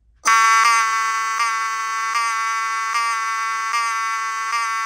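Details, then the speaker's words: Cerberus Pyrotronics HSD-24 fire alarm horn (rebranded Wheelock 7002T), rear screws adjusted to best setting: harsh buzzy tone with slight pulse about every three-quarters of a second, sounds strained and unhealthy; poor-sounding horn, cause unclear. "So, you can hear it's not the healthiest sounding, but it's um the best I can do for the time being."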